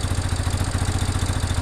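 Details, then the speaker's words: 1987 Yamaha Big Bear 350cc 4x4 fire-burned quad, on choke: quick even single-cylinder thumping holding steady; motor sounds good, normal idle, while burned plastic smokes and oil leaks from worn timing chain cap gasket. "I'm just listening to this motor sounds good I'm also watching to make sure it doesn't catch fire"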